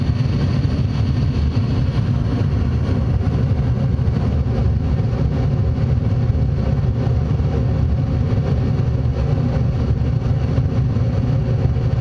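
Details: Furnace blower fan running after the inducer, igniter and flame sequence; a steady low whooshing roar with even airflow and no rattles or squeals, furnace working normally.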